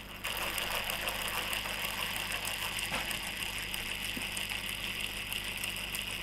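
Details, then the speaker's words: Steady, even high whir of small gears with no clicking or grinding in an RC adventure crawler gearbox, heard after refilling it with oil, which makes the earlier noise disappear; normal gearbox running. "nah ketika habis diisi dengan ini ya bunyinya akan menghilang"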